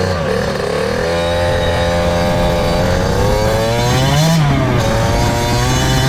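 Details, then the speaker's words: 2003 Kawasaki KX60 two-stroke ridden with choke on; revs flare sharply without the bike pulling harder, as the clutch, adjusted too tight, is slipping. "all right so the clutch is still adjusted a bit much you can hear it's slipping out of gear"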